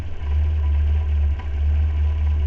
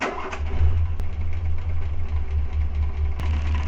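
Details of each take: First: Renault 4L with a Cléon 1108 cc engine idling right after an electronic ignition module was fitted in place of the condenser: a smooth, even low rumble with no misses or knocks. CO later measured 1.5 before and 0.1 after. Normal idle. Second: Renault 4L with the Cléon 1108 cc engine, points ignition being tested with the Grand Laurent electronic module: low idle with a lopsided, uneven beat and sharp spark snaps. One cylinder dead, running on three.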